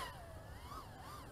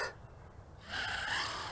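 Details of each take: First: Aurora RC Mini Fight 110mm micro FPV quad on 4S, punch-out in angle mode: clean motor whine rising and dipping smoothly with throttle, no stutter or wobble; little flutter, normal running. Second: Aurora RC Mini Fight 110mm micro FPV quad on a 3S battery, Betaflight stock default PIDs, first flight line of sight: short motor bursts whose whine wavers up and down; propeller flutter from PIDs set too high, needing lowering.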